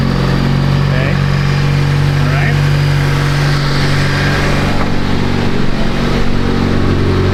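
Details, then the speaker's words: 2014 Honda Civic Si, first start after a Makspeed turbo kit install: strong, steady low idle with an even pulse and no ticking, knocking or stumbling; sounds healthy, no turbo noise heard, believed normal due to turbo lag. "Wow. Sounded pretty healthy there. Did you hear that? That sounded very healthy, man."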